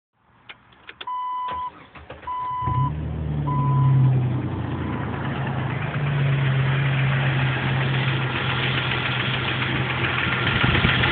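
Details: Jeep TJ 4.0L inline six, cold start: light fast tick over the idle hum after the dash chimes; it goes away once fully warm, has been unchanged for a year since purchase, and oil pressure is good.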